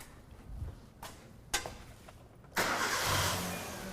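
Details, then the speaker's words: 2009 Kia Rio 1.6L with intermittent stumble, rough running and stalling but no codes, crank sensor on scope: a few faint clicks, then the engine fires at once and holds a smooth, steady idle with no stumble, a clean normal start. "Okay, so it starts back up. Started up perfectly. Again, running beautiful."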